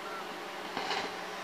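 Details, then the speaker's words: Open mic channel on a mixer, in a wedge monitor subkick setup: a steady, unchanging electrical buzz from a ground loop. The suggested fix is lifting pin one on the cable. "now this is a weird ground situation cuz you hear the buzz"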